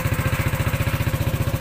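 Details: Yamaha NMAX 155 scooter engine idling, owner's complaint of a noisy engine: steady pulse with busy clattery top end, heard from the right side too; valvetrain noise from worn rocker arm roller and cam lobe.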